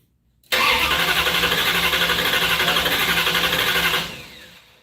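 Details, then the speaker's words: 1968 Barracuda first start attempt: steady cranking at about four pulses a second with no firing at all, not even a bump. The owner suspects no spark and wonders about the ignition box rev limiter setting and whether the distributor is plugged in. "everything should be working I didn't even get a bump huh"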